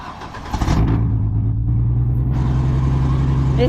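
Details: 2003 Chevrolet Trailblazer, barely running, that cuts off if put in third gear: the engine catches and settles into a deep, loud, booming, diesel-truck-like rumble, raw because it has no exhaust. Missing exhaust.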